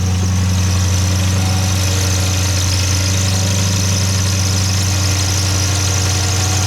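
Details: Dodge Charger/Challenger 392 Hemi at idle, before repair: a constant thin high squeal rides over the engine drone from a water pump bearing that failed at 60k miles.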